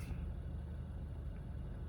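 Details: 2015 Honda Fit at 88,000 miles, after valve adjustment, intake valve cleaning, oil change and VTC spring replacement. Quiet, low, smooth hum with no knocks or roughness, barely any vibration at wheel or shifter; calm, even, healthy idle.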